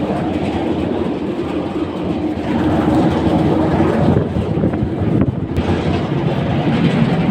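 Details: AHU blower, drive-end bearing: loud, uneven rhythmic clickety-clack clatter over the steady blower rush, identified as an abnormal drive-end bearing sound.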